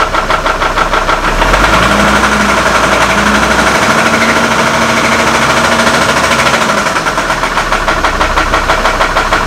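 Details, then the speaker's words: Copart Hummer H3 with stalling issue, idling after new camshaft/crankshaft sensors installed; rough idle with loud steady knocking around three per second; owner hears it from the top of the engine, not bottom end, though a rod bearing was suspected earlier; unconfirmed. "what's interesting guys is that sounds like it's on the top of the engine and it sounds like it's coming from right here it definitely does not sound like a bottom ends issue"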